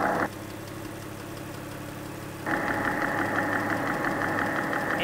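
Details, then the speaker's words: Porsche flat-six (986/987/996/997) at idle, electronic ear on the crankcase behind the exhaust just above the oil filter housing, directly under one cylinder. Sharp, regular ticking about three per second, extremely loud; bore scoring knock. "And I listen there, and this is directly under that cylinder, and it's extremely loud."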